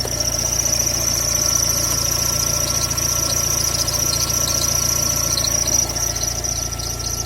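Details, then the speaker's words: Gol G3 Power 1.0 16-valve, recently bought, idling: thin, steady high-pitched scraping squeal over the engine without letup; owner suspects something spinning in the engine bay, exact part unknown, and mechanics disagree on the cause. "Então, recentemente eu comprei um Gol G3 16 válvulas e ele começou a apresentar esse barulho aí, ó. Um barulho de coisa arranhando."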